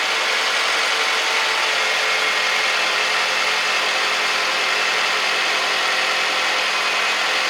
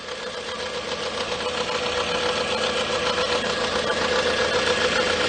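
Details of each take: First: 2007 Toyota Camry 2AZ-FE 2.4 with 186K miles, just after replacing the noisy alternator, charging about 14 volts; smooth even idle with steady hum, no knocks, ticks or whine, normal idle. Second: 2007 Toyota Camry, 2AZ-FE 2.4 L, 186K miles, engine running: a thin steady whine near 500 Hz over the idle hiss from worn alternator bearings. The alternator is still charging, and the noise was traced with a screwdriver on the alternator.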